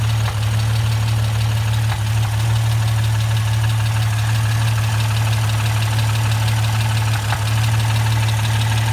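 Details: Jeep XJ 4.0 six-cylinder with 269,000 miles, idling: steady low drone with a faint, fairly quick knock underneath that just started.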